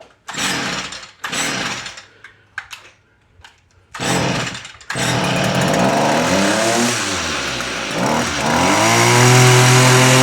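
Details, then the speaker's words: Stihl FS38 two-stroke trimmer after repair of bogging when throttled: starts after a few choked pulls, revs cleanly to a high steady buzz without bogging; fix involved cleaning exhaust spark arrestor screen, carb and spark plug also suspects. "pulls so that was the fix she runs beautiful now"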